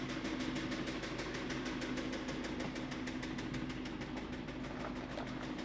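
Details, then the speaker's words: 2016 Mazda CX-5 with a blown engine, creeping around the yard, with a heavy rhythmic knock of about three per second that tracks engine speed; worn rod bearing: rod knock. "How's it sound? Look at me. Terrible. Tell YouTube how bad it sounds. Yeah, this thing is not happy."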